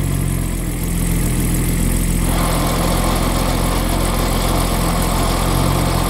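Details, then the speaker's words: 1965 Jaguar E-Type with a new Borg and Beck 9.5-inch clutch at idle; pressing the clutch brings a harsh grinding with sparks from the bellhousing, first blamed on the pressure plate but actually a coating on the throw-out bearing. "I pushed the clutch in, and I heard this terrible grinding noise. And the terrible grinding noise, it didn't give me good feelings, and I decided that probably I had one of those defective pressure plates."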